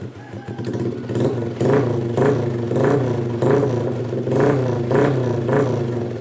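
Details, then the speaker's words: Honda Blade motorcycle after checking a wiring short and fuse: the engine starts and settles into a regular idle with light throttle blips, running normally. "oke ya walaupun ini kita cabut juga kalau dia kalau kayak Revo gini udah hidup karena dia melalui kiprok ya melalui kiprok Oke normal ya posisinya normal ini"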